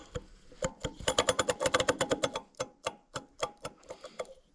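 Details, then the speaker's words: Gas Gas EC250 two-stroke, engine stopped, crank rocked by hand: a sharp metallic click on each rock, two to three per second. The big-end bearing is worn loose with play in every direction, surprising it still ran, so a 2T rebuild is planned. "I w ogóle tak, wszędzie chodzi. I jak leciutko się... Kurwa, nie, no to jest rozklepane, że to jeszcze jeździło."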